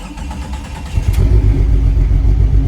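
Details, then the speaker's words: Junkyard-grade Jeep XJ with fuel pump priming: cranks briefly, fires and settles into a steady full low rumble with good oil pressure; starts and runs properly. "it runs it's got damn good oil pressure too"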